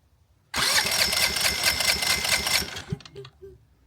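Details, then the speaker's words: EcoFlow Smart Generator dual fuel model with electronic choke, fuel completely drained beforehand: pull start gives about two seconds of rough, uneven firing, then it sputters out and won't keep running; owner suspects it needs more priming. "Of course, I did have it completely drained out, so I probably have to prime it more."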